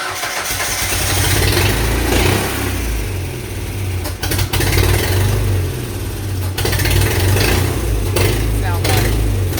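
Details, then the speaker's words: 1999 Mazda B2500 with a restored junkyard 1999 2.5L Ford Ranger engine and a 10-inch glass pack, started with ether: a loud, deep, throaty, uneven rumble. Engine mount vibration and smoke from oil on the exhaust are noted, but it runs fine. "this sounds fine i think you're right"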